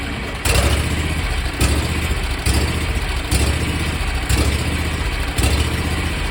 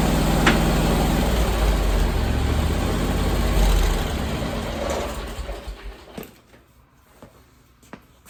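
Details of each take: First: 27 hp Kawasaki zero-turn mower engine cranked hot after use, on a relatively cool day: slow rhythmic cranking surges about once a second that never catch. Owner suspects the carburetor fuel shutoff solenoid blocking fuel. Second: 27 hp Kawasaki zero-turn mower, first cold start of the day: fires and settles into a steady even chug for several seconds, then is shut off. Normal cold start and idle.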